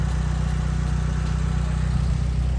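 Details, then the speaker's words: Mitsubishi Evo 9 four-cylinder after cylinder head install from machine shop: steady, even low idle with no ticking, knocking or misses; was really loud at first start, now sounds like a normal 4G. Normal idle. "She sounds really healthy. When I first started it, you guys will hear in the video, it was really loud. Now she sounds like a normal 4G."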